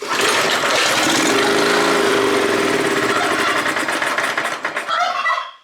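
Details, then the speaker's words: Neglected Honda F810 rotavator, stood two to three years as a non-runner: with petrol poured into the carburetor venturi, it catches and runs raggedly about five seconds then dies. Fuel isn't passing a blocked carburetor. "well well it runs and what that means is uh that there is a blockage in the carburetor so petrol isn't getting through that carburetor"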